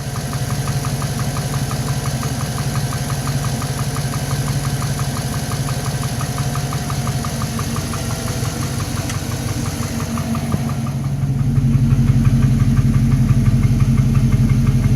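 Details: V8 idling with a steady, hollow knock about twice a second under the low rumble. Piston slap is suspected on a new engine with only 15,000 km.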